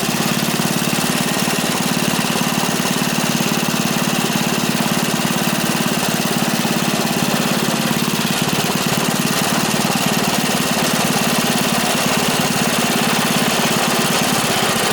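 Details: Free dirty small single-cylinder engine with bent rod and repeatedly welded pulley, reassembled and given gas; steady even putter throughout, no misses or surging, running normally.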